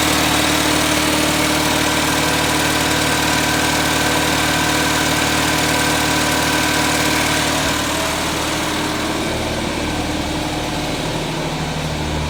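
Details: 1979 210, choke fixed and air cleaner off, idling somewhat high: steady idle with a lumpy, uneven beat. Pulling plug wires 1 or 4 kills it and pulling 2 and 3 changes nothing, so it is running on two cylinders, cause still unknown.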